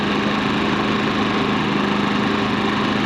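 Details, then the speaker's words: Generator restarted after accidentally being run dry two nights before, took a moment to draw fuel; steady, even hum with constant pitch, no surging, hunting or misfire; running smoothly, normal running. "We're gonna start it up, see how she runs. Burning like a kitten. Took a minute to get a little gas in because last night I accidentally ran it."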